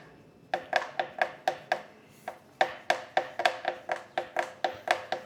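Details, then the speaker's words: Specialized Crux (2022–2024 model issue) headset: sharp ringing pops about three or four a second under pressure on the head tube as the front end is rocked; micro spacers didn't cure it, headset replacement fixed it. "So, if you listen, I can get it to pop just right here with just the right pressure on the head tube."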